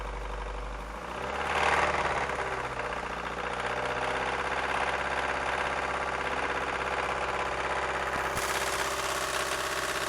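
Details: 1999 Ford Focus 1.6i Zetec petrol engine settles from a brief rev into idle with a harsh, rapid, clattery diesel-like knock throughout; cause unclear.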